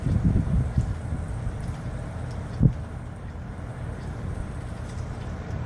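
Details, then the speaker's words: Outdoor condensing unit of a 3D DC inverter R410a zoned air conditioning system, just cleaned and serviced; only a soft, low rush of air from the fan blade, with no shaking, vibration or mechanical noise; normal quiet condenser fan. "it's just being cleaned and serviced as you can hear beautifully quiet no shaking no vibration no mechanical noise all you can hear is the wind off the fan blade"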